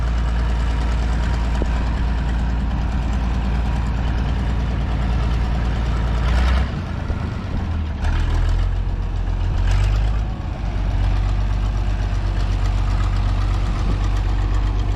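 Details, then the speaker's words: Minneapolis Moline A4T tractor on shakedown drive, recently sorted brakes: deep lumpy idle with faint quick ticking on each firing pulse from an exhaust manifold leak on one side. "You can hear that exhaust manifold leak on this side, kind of ticking away."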